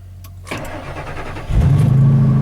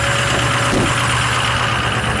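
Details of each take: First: Truck that had trouble starting the day before, evening start after listening for the fuel pump to run: short quiet crank, then it catches with a rush and settles into a rough, uneven idle; hard start, cause unconfirmed. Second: 6.0 diesel truck, evening cold start after sitting a while, still cold: steady, loud clatter held at a raised, even idle with no misses or surging; healthy cold-start high idle.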